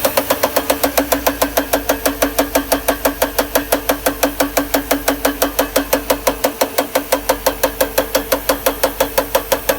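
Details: 1992 Mercedes R129 500SL M119 V8 at idle: sharp, even tapping about three times a second with little low rumble; top left timing chain plastic guide rail in the cylinder head broken off at the bottom, letting the chain slap.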